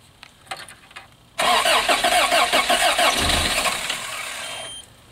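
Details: 1986 Toyota van that sat about 5 years, new starter just fitted, cold day, spark confirmed, on starting fluid: quick even cranking about four beats a second, catches briefly then falls back; crank no start, owner suspects fuel pump starvation.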